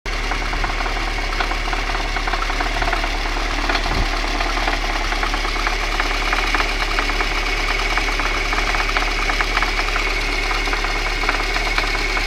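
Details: VAZ 2111 engine at idle: a sharp metallic tick about three per second rides steadily on top without changing; internal engine knock, cause undetermined.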